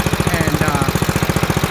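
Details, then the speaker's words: 1955 Wheel Horse Senior garden tractor, maiden ride after about 40 years, in first gear with a little throttle: steady thumping single-cylinder beat, no gear whine; drivetrain smooth and quiet. "Whoa. Yeeha. No gear wine at all. At least in first gear."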